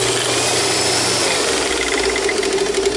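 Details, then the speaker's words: Sharp Twin Energy upright vacuum switched on before servicing: harsh, rough roar with a strained hum and thin high whine on top; abnormal running noise, parts no longer available. "sure doesn't sound good so we see a metal base plate some of these have metal brush rollers too"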